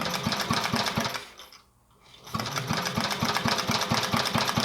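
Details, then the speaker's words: 1946 Johnson Iron Horse generator, engine turned over on battery power via the generator, spark tester fitted on an RC8JY plug; regular chuffing beats about twice a second, brief pause, then steady beats, turning over freely; normal cranking. "It does turn over really nicely. I can actually turn it over on a battery."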